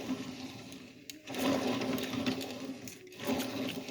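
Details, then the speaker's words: Alternator turned by hand, off engine, suspected of causing serpentine belt to break from pulley failure: rough, gritty whirring that swells and drops with each spin, scraping in between, intermittently tight; alternator should not make this noise, cause unclear. "alternator should should not be making that noise"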